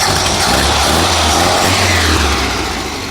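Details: 1972 VW Super Beetle convertible air-cooled flat-four after complete engine swap and missing parts replaced: steady, busy idle holding an even beat, no misfire or knock; healthy, running and driving.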